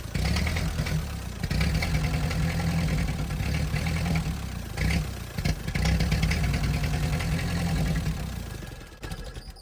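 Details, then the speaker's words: Ford 8N tractor first revival start after carb cleaner and fuel: old four-cylinder holds a steady low putter with slight clatter, little smoke, tapering evenly at shutdown; normal running. "She sounds pretty good, and I don't even see much smoke."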